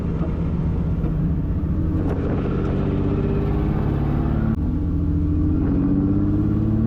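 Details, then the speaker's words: 1.5JZ-swapped Toyota Corolla drift car, run low on oil with failing compression: lumpy, uneven loping exhaust note under load as if running on about three cylinders, having dropped at least another cylinder; misfire from lost compression. "she's uh back to about 3 cylinders I think and yeah it's not sounding the best so it's uh you'll see in that last footage there dropped at least an extra cylinder sounds like a WRX now"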